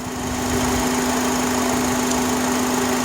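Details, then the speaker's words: 2005 Honda Accord EX 4-cylinder at idle: a steady fan-like hum, always present whether cold or hot and louder near 30 mph. From the cabin it sounds like a running fan. Owner suspects a vacuum/intake issue, unconfirmed. Three mechanics have failed to find it. "The car, it always makes the sound. Usually when I'm inside the car, I can you hear it like if it was a fan."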